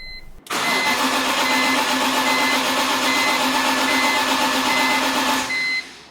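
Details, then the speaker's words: BMW E46 M3 (S54) after rod bearings, VANOS overhaul and SMG-to-manual conversion, unstarted for over a month; fuel pump fuse pulled, battery charger on: five seconds of steady, even cranking with no firing while a chime sounds, priming oil. "now i still have the fuel pump fuse pulled out and i've got a battery charger hooked up so i'm just going to crank it over a few more times get a little bit more oil flowing"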